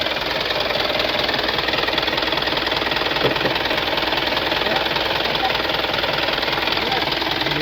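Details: Swaraj Mazda Super XM direct-injection diesel truck, cold idle after 4 years unused. Hard even rattling knock about twice a second, loudest while cold; cold diesel knock, cause not confirmed.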